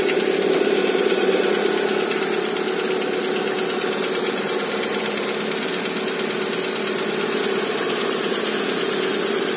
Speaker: стучит откуда-то с цилиндров, наверное, поршни болтаются на холодном.